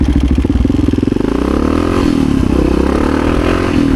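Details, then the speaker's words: 1986 Honda HRC XR600 (XR628R) dual-carb single after rejetting to 135 mains, needle clips richest on both carbs: on-road acceleration in first and second pulls smooth and strong, no pops, front wheel lifting; it was running lean before. "Oh yeah, she pulls good. She pulls good. That feels a lot like my 650. Oh my. That's pretty awesome. No pops."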